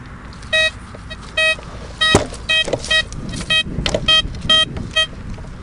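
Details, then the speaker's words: Blisstool v3 metal detector on a ploughed field: short, jumpy, inconsistent beeps with no solid repeatable signal, ghosting that most likely means hot rock. "Right, okay, I'm getting double pinpoint as well, so that's telling me that's highly likely to be hot rock again, chaps."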